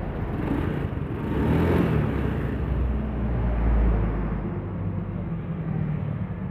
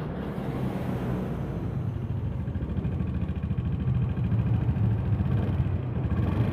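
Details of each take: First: Honda Beat FI, engine rebuilt after knocking caused by late oil changes (suspected scored piston): low even rumble with steady beat, no tapping or clatter as before teardown; normal smooth idle. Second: Honda Beat FI with overdue oil changes and oil running out: rough engine note with a faint rapid ticking (kletek) at running speed. Scored piston suspected, unconfirmed before teardown.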